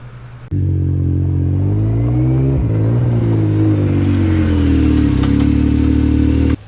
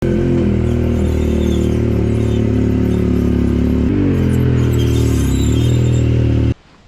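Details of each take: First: Yamaha YXZ side-by-side, a couple of weeks after lubricating the backs of the brake pads and the caliper pins: the engine pulls and revs steadily with no high brake squeal, so the long-standing squeak is gone. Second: Yamaha YXZ side-by-side rolling with its engine droning: thin, high brake squeaks present since purchase in January. The owner fixed it by lubricating the backs of the brake pads and the caliper pins; long-term results are unconfirmed.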